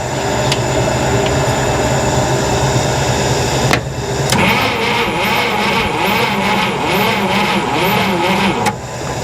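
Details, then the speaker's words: 1961 Buick Electra 401 Nailhead V8, parked over 40 years, first start attempts on weak battery: runs rough and uneven with light top-end tapping over the exhaust; lifters very sticky. "Um, those lifters are very sticky."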